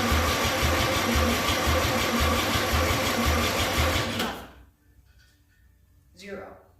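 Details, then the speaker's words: 261 straight-six on its first start attempt, cranked in short bumps with a little throttle. The starter spins it at an even, quick beat with no firing; the owner suspects it isn't getting gas. "doesn't sound like it's firing let me give a little throttle on this one and see if may get lucky"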